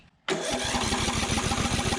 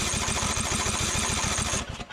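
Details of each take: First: 2004 Craftsman DYT4000 riding mower, Briggs & Stratton engine, abandoned in a field, running on a doubtful carburetor: starts and settles into an even, steady beat with no misses or knocks; motor sounds good, normal running. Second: 2004 Craftsman DYT4000 riding mower (Briggs & Stratton), abandoned in a field, PTO disengaged, brake set: fast steady cranking under two seconds, briefly kicks over then dies. Fuel starvation, as poured fuel can't get past the curved intake tube.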